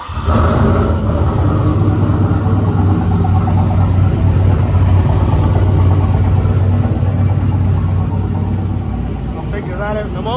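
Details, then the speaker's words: 2003 Silverado (Escalade-swapped) with a 6 L LS, 243 heads, stage 2 cam, GT45 turbo, AWD, first start after installing a 3200 stall converter: loud, raw idle with a puffing, ticking edge; pretty good exhaust leak. "Let's fire it up. See if it moves. I seem to have a pretty good exhaust leak."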